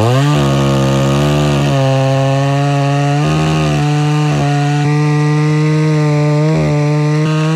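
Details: Homelite Super XL-925 82cc vintage two-stroke chainsaw, governor blocked off, dull chain with shallow rakers: high steady scream with brief dips and quick recoveries; too lean on low-speed circuit, richened about a quarter turn.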